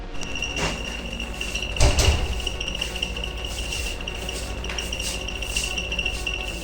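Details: Split air conditioner indoor unit (9000 BTU) that also drips water: a high, cricket-like chirp pulses over the low fan hum at switch-on, from a dry blower shaft bushing.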